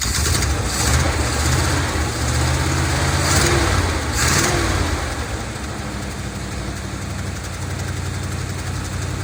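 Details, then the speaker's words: 1970 Dodge D200 V8 truck, received as a gift, first start on brake cleaner: lumpy, uneven idle with stumbles and sagging revs, a very lean note. Owner suspects a vacuum leak, since many vacuum hoses are plugged off with screws. "all right could be caused by a vacuum leak of some sorts and there's plenty of vacuum hoses back here that's been plugged off by screws"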